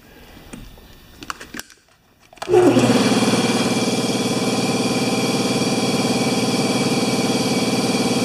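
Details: Air compressor revived after sitting 8 years, with newly fitted pressure switch and new plastic line: motor spins up to a steady even hum with fast regular pumping chatter; compressor running normally.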